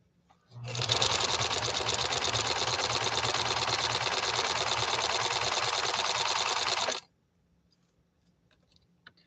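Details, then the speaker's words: Janome 731 sewing machine after restoration, sewing faster with walking foot: even, fast stitching near four per second, steady with no clanks or plasticky rattles despite plastic worm gears in main shaft drive; runs smoothly. "and i don't know what you can hear on your end but it's also a smooth running machine it's not clanky it doesn't sound plasticky"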